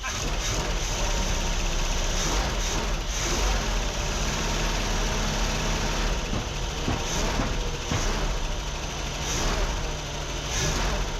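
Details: 1979 Dodge B300 former motorhome, big petrol V8, first start after sitting unknown years: deep steady even rumble, no knocks or misses; runs fine after long storage.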